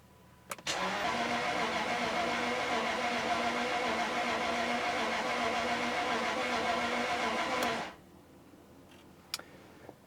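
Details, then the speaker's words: 1999 Jaguar 4.0 V8 crank-no-start, suspected bore wash; after oil added to cylinders, full throttle cranking about seven seconds with even beat but no catch, compression still too low to fire: low compression cranking. "sounds a little better uh but still nothing happens Full [Music] Throttle I can feel compression building to be honest just going to give it a break"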